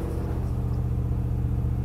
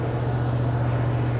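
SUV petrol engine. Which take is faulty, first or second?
first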